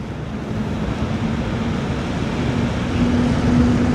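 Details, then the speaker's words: Thermalright Grand Vision 360mm AIO radiator fans at 100% speed, microphone pointed at the fans on a test bench: loud, steady airy rush with a low hum, no ticking or rubbing; normal full-speed fan noise. "So at 100% fan speed, they're rather loud."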